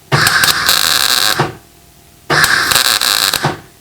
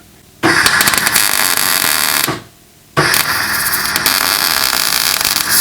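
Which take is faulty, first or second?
second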